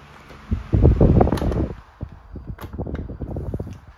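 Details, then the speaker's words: SMC TR-12 12-inch desk fan (2001–02), new old stock bought unopened, on high speed: even airy whoosh with gusty buffeting, no vibration, wobble, rattles or weird noises; runs like a brand-new desk fan. "there's no vibration or shaking or wobbling or anything doesn't make any weird noises there's no rattles or anything like that pretty much just runs how you would expect a brand new desk fan to run"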